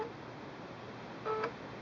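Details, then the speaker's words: Singer Quantum L-500 sewing machine being switched on in a quiet room: one short, soft whir-chirp as the needle moves. This is the machine's normal self-calibration at power-on. "that sound that you heard and the movement here at the needle was simply the machine calibrating itself as it was powered on"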